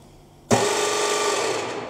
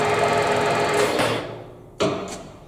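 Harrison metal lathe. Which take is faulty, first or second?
first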